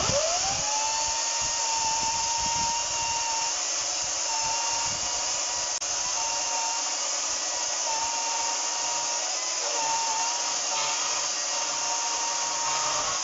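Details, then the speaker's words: HYCHIKA 36V 8000RPM brushless cordless chainsaw with a 14-inch bar, in performance mode cutting solid wood: a steady high motor whine that dips slightly under each cut and recovers smoothly. It is quiet for a chainsaw, and the saw is cutting normally. "As you can see, it's a solid bit of wood, but it managed to cut through that fine. As you can hear, it's not very loud considering it's a chainsaw."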